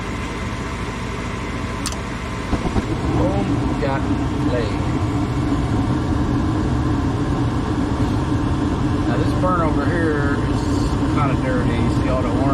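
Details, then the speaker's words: Furnace after blower motor replacement: blower kicks on fast with steady even air rush and smooth motor hum, no rattle or drone; normal blower operation. "Kick right on real fast. Real nice. No more of that in the sound anymore. Smooth sound."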